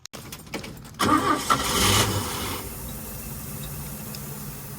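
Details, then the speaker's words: 1962 Chevy Biscayne, original 235 inline-six, first start after welding makeshift temporary exhaust: short crank, then choked, muffled idle; exhaust pipe plugged with debris such as peanut shells. "Uh-oh. That ain't good. She's plugged up."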